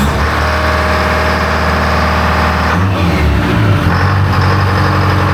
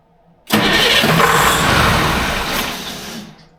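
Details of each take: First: Electronic Detroit Diesel 4-53 two-stroke with a calibration built from scratch: rough start settles into a steady, even idle with a smooth low drone and no knocks; normal idle. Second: Electronic Detroit Diesel 4-53 two-stroke on a dyno: cranks and catches with a sudden roar, runs roughly under three seconds and dies, RPM not rising over about 400-450; wrong start RPM setting in calibration.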